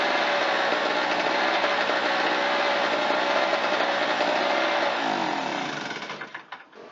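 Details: Harbor Freight Tailgator two-stroke generator, after no-start repair (weak spark under compression, debris in carburetor), runs with fuel, choke and ignition on: small engine buzzes at a steady high pitch with no misses, then fades; runs clean and even.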